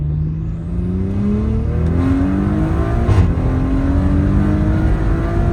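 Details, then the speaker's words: Audi B9 SQ5 going stage 3+ with TTE810 hybrid turbo, RS injectors and 4-bar MAP sensors, heard from inside under hard acceleration: clear whistle climbing with engine speed, airplane-like spool, boost coming on around 4500-4800 rpm; healthy turbo spool. "but this tte 810 sounds like an airplane engine that's pooling up it it's it's absolutely gorgeous I hope you guys can hear this inside"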